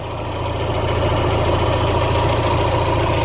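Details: 1991 Mazda Miata 1.6L warm idle after cold start, new cheap headers replacing cracked stock headers that had an exhaust leak, stock air intake; low, even idle hum, steady, no ticking or leak chuff, healthy.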